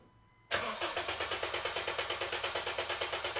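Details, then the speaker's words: 2010 Honda Civic 1.4 i-VTEC with misfire on cylinders 3 and 4, relative compression test with all spark plugs out: starter cranks evenly about three beats a second, no hesitation or skipped beat; compression judged perfect. "I say it's fine hey actually it's perfect"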